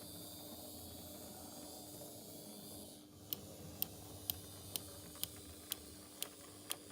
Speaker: There is a bit of a ticking noise that you can hear when it goes in the forward direction, but it doesn't happen when it goes in reverse. It's obviously something on the valve gear that's catching or something like that, but it runs really well.